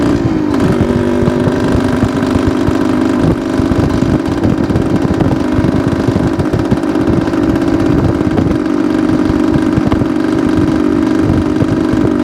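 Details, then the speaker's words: 1972 Suzuki TS250 two-stroke, possibly still cold, choke used at start: steady buzzing drone that never picks up or climbs in pitch, bogging off idle; off-idle hesitation, owner suspects plugged pilot jet. "okay guys I think you could you could kind of hear it in the way the engine it just didn't want to take the fuel so my first thought is we've got pilot jet that's plugged up it's just not one to transition from that about idle to eighth"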